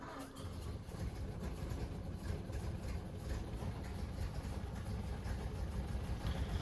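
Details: 1930 Ford Model A four-cylinder after sitting seven years, now re-timed: soft low steady chug, even with no missing beats or clatter; idling smoothly.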